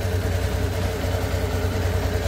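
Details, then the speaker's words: Yamaha Sniper version 2 motorcycle, con rod earlier replaced but misaligned at another shop: rough low idle with an uneven rumbling rattle from the lower engine; rusted, damaged engine bearings in the bottom end, fixed by overhaul. "yung tunog nang gagaling dito sa may baba. So check natin to lahat, and then tingnan natin kung anong mga parts na damage."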